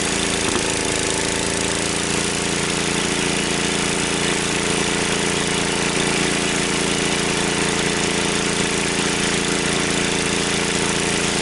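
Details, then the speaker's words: Wheel Horse 753 lawn tractor, single-cylinder engine run on choke then given throttle: steady running with a constant scraping hiss over the exhaust beat, seemingly getting worse. Flywheel checked and still tight; the noise is a guard rubbing. "Let me see what that noise is. Seems like it's getting worse."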